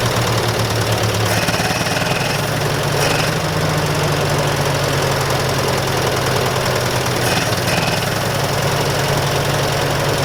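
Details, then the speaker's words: Massey Ferguson 65 tractor, throttle up after carburetor work: loud, lumpy engine with irregular stumbles and thuds, running rich and rough; carburetor flooding, needs more carb work. "all right sweet now we gotta work on it from not flooding out obviously now"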